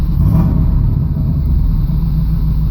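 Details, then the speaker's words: 1989 Camaro IROC-Z with a cold/sat-start problem, started cold after fuel filter replacement: deep, even low rumble with a steady beat, no stumbles or knocks; idles smoothly, much smoother than before. "it's cold but it starts it's a lot smoother than it was before because that fuel filter but there it is it's running"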